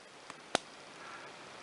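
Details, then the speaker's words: Circa-1930s short De La Rue Onoto Patent Self Filling plunger-filler fountain pen, nib in ink, plunger pressed down in one swift stroke: faint tick, sharp pop, then soft brief hiss from the plunger area, exactly the normal sealing action. "I'm hoping you could hear that sly sort of popping and hissing sound from this area here which basically sounds exactly what we want to hear"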